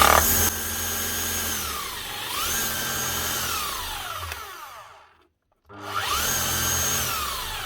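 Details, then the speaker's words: Old Makita HR4500C rotary hammer, just reassembled after a stuck broken chisel was removed, winds up to a smooth, steady whine, stops and restarts cleanly with no grinding or rattling. Motor much smoother; normal operation. "Now see what she sounds like now. Motor sound an awful lot smoother."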